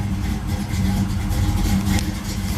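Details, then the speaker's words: 1973 Camaro Z28 V8, cold after sitting, running without choke: low, loping idle that wavers and sags as if about to stall, almost idling by itself; temperature gauge still at zero, engine not warmed up yet. "okay we idle by itself almost not quite still not warmed up yet"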